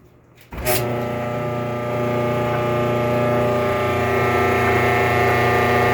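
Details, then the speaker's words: Roughly 15-year-old Kenmore 417.83042300 electric dryer on start-up: sharp bang then loud steady squealing rumble for the first 30 seconds, quiet afterwards; persists despite new motor, belt, tension pulley, rear drum bearing and drum felts; source not found. "alright this is my Kenmore dryer about 15 years old it started making a squeaky noise about a month ago I replace the motor the belt the tension pulley and [Music] even after all that still makes a horrible noise for the first 30 seconds"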